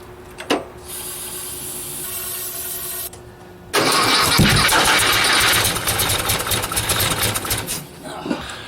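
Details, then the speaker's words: 1956 VW Beetle first start attempt, no start. Sluggish, labouring slow cranking at about three turns a second that never catches. Owner suspects poor old battery ground and power cables, supplemented with old jumper cables. "get a proper ground and a proper power cable for the battery the ones I have like I said are just kind of crappy old and shitty uh in fact I'm using old jumper cables to try to supplement that and that wasn't working either"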